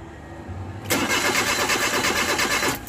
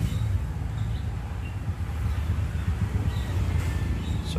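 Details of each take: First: Suzuki Multicab K6A: starter churns engine about two seconds with steady cranking beat but never fires; cranks without starting, cause not confirmed. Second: Suzuki Multicab K6A, previously wouldn't start: low, steady idle rumble with even beat, no misses or knocks; normal idle.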